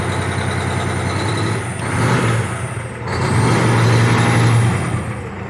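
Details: Cummins ISX 870 diesel truck after injector replacement and overhead adjustment, air connector off; short rev then a lumpy, uneven idle. Owner suspects low air pressure; still sounds like a miss.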